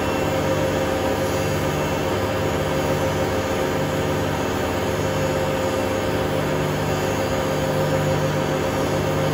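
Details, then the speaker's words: Hotpoint Aquarius WMA32 washing machine, quiet before spin, test spin: steady loud rushing roar at full spin; owner suspects broken bearings or spider, plans new bearings and motor. "well best way to put it I think it's a bit ruined if it isn't a broken spider it's broken Barons is it"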